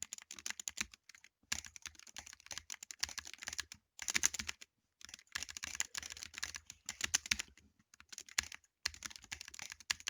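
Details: Apex Pro TKL keyboard: rapid, uneven bursts of crisp key clicks with short pauses between runs of typing; switches click sharply, cause not clear.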